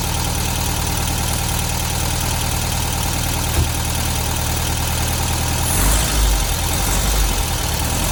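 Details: 1972 VW Beetle 1200 air-cooled flat-four idling after valve clearance adjustment and plug change, now on all four cylinders; fast light ticking over low thrum, packety valve train, owner suspects valves need tightening.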